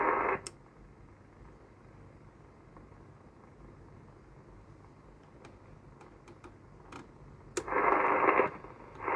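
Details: Cobra 2000 GTL CB radio on an aerial, receiving after first showing no receive: soft even hiss from the speaker, broken by loud bursts of incoming signal; the receiver is picking up stations normally.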